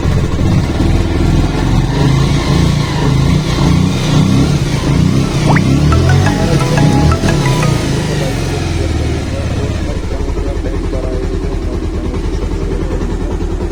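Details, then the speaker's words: Bajaj Pulsar 150, unserviced for a long time with a strange engine noise, at idle after an oil change, timing set and a new tensioner fitted: even, low single-cylinder thump with no tick or chain rattle, faint music behind; now quiet. "इसमें जो है बहुत ही ज़्यादा पहले शोर आ रहा था, अब जो है बहुत ज़्यादा इसमें कंट्रोल हो जाएगा क्योंकि हमने जो है इसकी टाइमिंग वगैरह जो है बराबर कर दी है"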